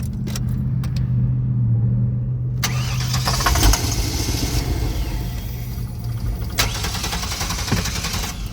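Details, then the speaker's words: 2000 GMC Savana conversion van, no-start with suspected bad fuel pump, starting fluid sprayed into throttle body through removed sensor hole: cranks, catches and runs rough and uneven briefly then falters; runs only on starting fluid. "Put it back in. And we going to start them up. And this is with the starting fluid."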